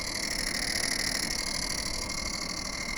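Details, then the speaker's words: Small 31-litre cooler fridge running with an abnormal raspy, croaking buzz and a steady high hiss, about three pulses a second; the noise starts whenever it is switched on, though it cools normally. The cause is not yet known. "geladeira da resfriar 31 litros ela tá funcionando mas tá com esse barulho aqui"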